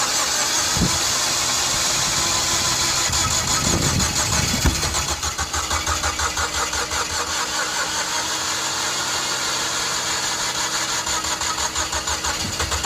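Engine spins over on the starter with uneven chuffs but never settles into a clean run, pointing to ignition timing out.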